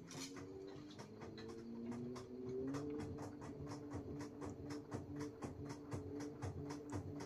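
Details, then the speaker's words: Kenmore Elite washer (uses LG parts) after replacing the rotor and hub, which had caused noise with no drum rotation; now filling and agitating normally with a steady motor hum and light rhythmic clicks, likely a coin in the clothes. "muy bien Sí funcionó es lo que necesitábamos ahorita vo aventar agüita ese ruido que hace ha de ser una moneda que tengo dentro de la una ropa y se está cayendo para está aventando muy bonito el agua está dando su ciclo"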